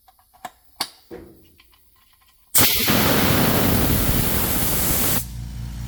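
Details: Ultra-quiet 2-gallon compressor: a few clicks, kicks on with loud rushing hiss, slightly louder the first ~5 seconds then settles to a much quieter even hum; normal running.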